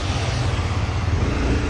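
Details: Dafra Next 250 scooter pulling away after a clutch rebuild, replacing a burnt separator that had caused noise and forced pull-aways. A steady low engine rumble with no grinding or chatter, so clutch engagement is now normal.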